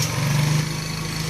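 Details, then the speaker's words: Hero Glamour motorcycle after replacing the magnet coil (coil plate) and reconnecting the wiring: a short burst of steady, light buzzing idle with no misfires or rattles. Normal idle after the repair. "Friends చూడండి, టోటల్గా అయితే start చేయడం అయితే అయిపోయింది."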